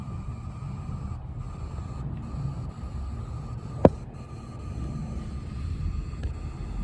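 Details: PC graphics card and SFX power supply during a render/export load: a faint, steady high-pitched coil whine over low room hum that drops out briefly now and then; the owner says everything is fine.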